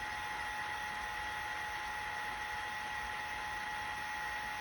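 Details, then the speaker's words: 1980s 5.25-inch vintage hard drive running after pushing the head back: faint steady whine over soft hiss, no clicks or scraping; spins normally. "Wait, is it working? Oh my god, I think it worked!"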